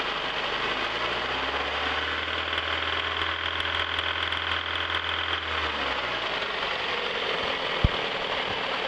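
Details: 1997 Toyota RAV4 petrol four at idle with spark plug wires pulled while running: uneven, lumpy idle that runs down and stalls; rough idle, owner suspects cylinder 2 not firing as pulling it barely changes idle.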